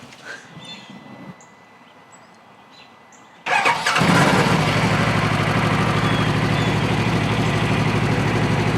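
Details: Friend's Polaris RZR 1000 (2,879 miles), used as a comparison for an ECU swap test: quiet for a few seconds, then it catches and settles to a normal, even idle with no codes and no cooling fan running.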